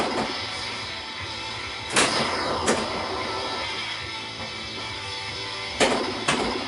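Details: Pinball machine after correcting self-test setting 18 from 0 to 3: clean game music and sound effects with occasional bangs from play, no harsh racket; normal sound output.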